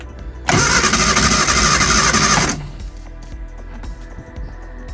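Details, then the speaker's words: Early-2000s Reliant Royalty Eddie Stobart Supervan after fuel leak fixed and plug lead order checked: loud, even starter cranking about two seconds without firing; had run before, now no spark, crank no start. "I've not got a fuel lick anymore so that's good but also we've not got to start either"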